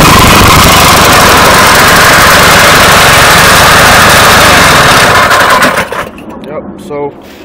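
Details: 212cc single-cylinder on X7 pocket bike, governor removed, engine not fully bolted down, air filter not yet mounted: loud, even high-rev buzz without knocks or stumbles, then clean shutoff; runs pretty good.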